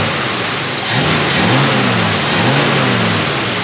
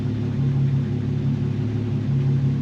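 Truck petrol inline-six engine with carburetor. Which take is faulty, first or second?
second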